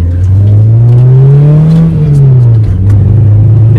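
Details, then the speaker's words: Worn-out Mazda 323 on its last drive: hard pull in low gear with a rising note that dips and stumbles mid-rev, a bad misfire under acceleration; it tops out around 50 km/h in second. "we go you hear the misfiring bad down a second hard on the brakes"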